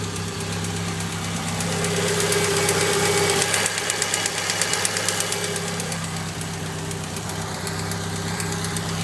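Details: Mitsubishi Evo IX engine running steadily with a light, regular tapping about three ticks a second; owner unsure whether it is rod knock or lifter tap.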